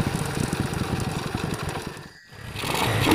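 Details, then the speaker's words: Honda motorcycle single-cylinder engine blipped hard then falling back, popping and uneven; carburettor set far too rich, spark plug very black, black smoke from exhaust. "motornya ya Terlihat asap hitam keluar"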